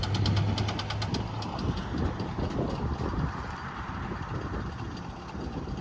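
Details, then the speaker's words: 2004 Toyota Camry driving on the road, engine labouring with irregular heavy knocking about four a second under road rumble, likened to marbles rolling inside; car left stranded, deep internal knock suspected, cause unconfirmed. "I think this is, oh man, it sounds like freaking marbles rolling around in there."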